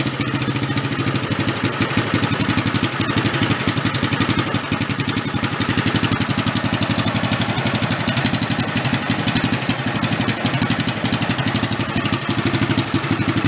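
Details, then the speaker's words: 1965 Chevy Corvair Monza toy go-kart refitted with a bigger engine after its bad original one, first start with choke and a little throttle: even strong steady quick thrum with crisp exhaust bark, no knocks; sounds healthy. "which way I want to go that way she sounds pretty good huh pretty even awesome"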